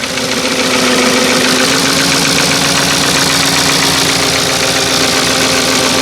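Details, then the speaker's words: Porsche Cayenne 955 4.5 V8 (250 kW), 311,000 km, started with almost no fuel: loud steady idle with a fast, roughly regular knocking about four a second, clearly audible from outside, and the engine shaking a bit. "You can hear it from here, the knock of the engine is real audible. And yeah, let's sit inside. Yeah, you can hear it knocking."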